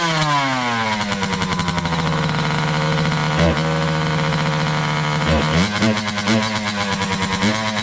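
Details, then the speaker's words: 2003 Kawasaki KX60 two-stroke on 40:1 premix, air-fuel screw 1.5 turns out, still dies without choke. It fades and stumbles on each blip instead of revving cleanly, still boggy; owner suspects the carburetor. "def still boggy so I guess at this point we're going to strap something up and take it for a quick ride"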